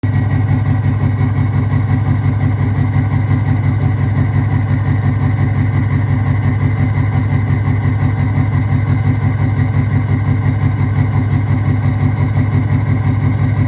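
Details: 6.0 Powerstroke/VT365 diesel with straight-pipe exhaust: loud idle with a lumpy thump about three times a second; rough running from bad injectors.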